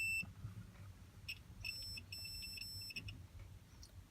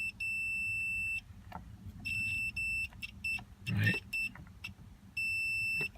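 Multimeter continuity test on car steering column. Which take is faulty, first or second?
first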